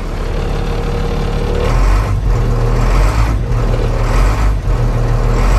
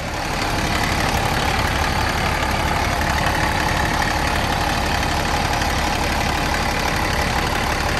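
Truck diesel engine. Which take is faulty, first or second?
first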